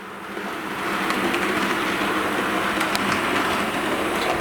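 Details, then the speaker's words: Rapido HO Royal Hudson steam locomotive on first DCC test run: soft, even motor whir with light rail clicks, no stutter or grind, running quiet and smooth; this unit later developed a running problem and was returned. "it is very quiet it is very smooth runs quite well"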